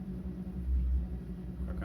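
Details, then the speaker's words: Dishwasher running: a steady deep drone with a low rumble underneath, humming loudly. "она гудит? Как зомбак какой-то."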